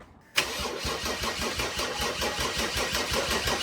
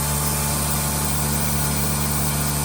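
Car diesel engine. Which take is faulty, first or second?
first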